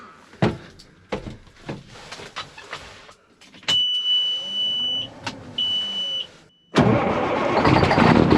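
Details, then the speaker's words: Peterbilt 379 dump truck, Detroit Diesel Series 60 12.7L, freshly rebuilt, started on a cool morning after its first oil change, where metal shavings were found; warning buzzer, then it catches cleanly into a loud even run with oil pressure, sounds healthy. "That'll do. There we go. We got oil pressure. We're good."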